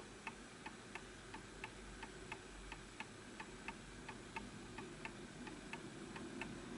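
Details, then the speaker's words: Antique Enfield Westminster chimes mantel clock, fully wound, during maintenance: lopsided tick-tock about ninety beats a minute with unequal spacing, out of beat and would stop; being pushed to correct beat. "So this will stop because you can hear that it's off. Now, just going to push it back this way."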